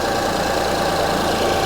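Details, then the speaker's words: 2005 Honda Odyssey with flashing check engine light, misfire codes and severe shaking; at idle: uneven, lumpy idle with an irregular stumble; ignition waveform check shows cylinder 3 way different from the others; cylinder misfire. "so as you can hear the engine is running the engine is shaking"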